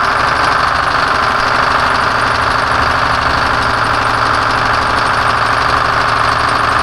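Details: 1970 Peterbilt 341 with Detroit Diesel 6V71 two-stroke, still blown up after the drive home: loud idle with hard, rapid knocking about three beats a second over a rough clatter; dash rewired and oil pressure leak fixed, engine still junk.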